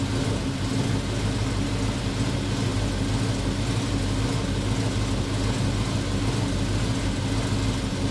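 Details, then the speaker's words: VW Transporter with RS4 V8 and twin turbos: steady, even idle with smooth low rumble, no puffing or ticking; sounds better. "Now, that does sound like a V8. That does sound better. Sounds better."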